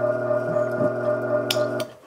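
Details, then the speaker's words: Rusty Baldor L1209 half-horsepower motor taken off a cement mixer: a loud steady mains hum with no spin-up, dying after about two seconds, with sparks at the plug. The motor struggles to start; failed start capacitor (270–324 µF, 110–125 VAC). "you could see that it's really struggling to spool up"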